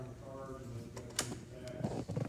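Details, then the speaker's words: 2011 Harley-Davidson CVO Road Glide Ultra FLTRUSE, 31,692 miles: fairing switch cap lock/unlock button pressed, short whirring clicks of the power lock motors engaging in a quiet background; power locks work normally. "this unit also has a power lock mechanism on the fairing switch cap you'll see this lock unlock switch you can hear the motors engage when i press the button indicating the locks do work"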